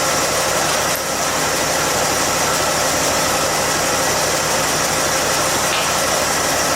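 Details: 1967 Chevy C10 after engine swap, before tune-up (vacuum gauge, new spark plugs, points gap), timing around 4 degrees; loud steady idle with coarse uneven undertone, rough idle needing tuning, cause suspected not confirmed.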